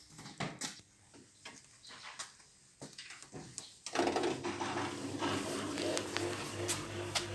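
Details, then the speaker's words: Used Miele W1734 washing machine (6 kg, 1400 rpm) on start-up: a few clicks then steady loud buzzing hum of the drain pump running dry with no water; normal. "Ну, слышно насос. Насос работает громко, потому что нет воды на сухую."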